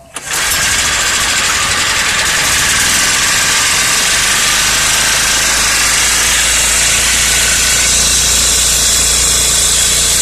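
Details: Four-stroke generator that ran but gave no electrical output, after replacing the capacitor (20 µF plus 4 µF, totalling 24 µF): cranks and catches within half a second, then steady even run, no knocks or misses; engine healthy.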